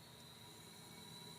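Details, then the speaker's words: BluePrint 383 stroker, 800 miles, oil pumping from dipstick tube and fouling plugs; leak-down test on cylinder 1 at 70 psi, heard at dipstick tube: steady rhythmless hiss, carburetor and exhaust quiet; air leaking past piston rings; piston ring blow-by. "can hear the air leaking come back to the exhaust perfectly quiet perfectly quiet so the dipstick tube is pumping oil out predominantly because of leakage in cylinder number one"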